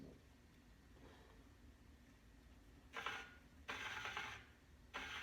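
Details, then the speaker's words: Trek 4300 rear 26-inch wheel spinning in truing stand: quiet spin with light scraping swish about once per turn where the out-of-true rim hits one side; spokes there need adjusting. "you hear that so it's hitting right there on that side everywhere that it's hitting it needs the spokes adjusted"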